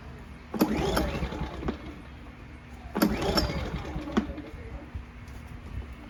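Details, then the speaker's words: A-ipower 2300 W inverter generator (SUA2300i) no-start: two recoil pulls spin the engine briefly with no firing or catch, caused by a clogged carburetor main jet. "Today we have this A-ipower 2300 inverter that has a very common issue with all generators. They won't start. And what's the culprit? A clogged main jet in the carburetor."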